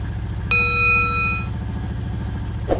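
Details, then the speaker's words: 2008 Honda Fourtrax TRX420 quad after replacing solenoid and faulty handlebar control/ignition switch unit: short chime, then steady even single-cylinder thump with no miss, now starting off the switch properly; normal start and idle. "oh this one now is starting off the switch the way it's supposed to so big thing there was a Sol but this uh ignition switch was also kind of wonky"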